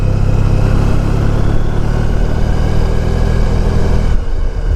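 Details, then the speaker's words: 1994 Honda ST1100 riding after new front wheel bearings: steady engine drone under road and wind rumble, no growl or tire-like noise from the front wheel; old bearing likely went bad after a tire change. "now I don't hear that noise is not making the tire noise anymore actually writes fine smooth"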